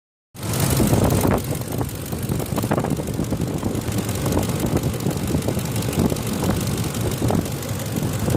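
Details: 2004 Ford F150 5.4L V8 idling with deep steady rumble and light ticking on top; owner says ticking is common to this engine; VCT solenoids already replaced, which cured a dieseling sound; cause unknown.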